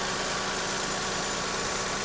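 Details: Lexus RX300 after replacing and properly tensioning the alternator belt, which had been squealing: steady, even idle with a faint hiss and no squeal or chirp from the belt. Normal, healthy idle.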